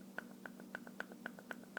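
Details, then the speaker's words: O.S. 50 AX engine rocked by hand with a little play between crankshaft and piston; crisp light clicks about four per second with fainter ticks, owner unsure if normal, clicking when crankshaft rocked. "is that normal might just be maybe I just bumped it right now in my hand like and it made this noise"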